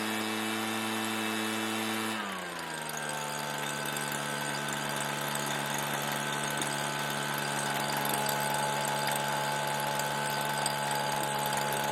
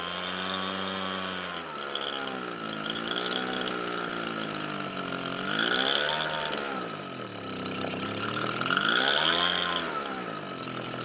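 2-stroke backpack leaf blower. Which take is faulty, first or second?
second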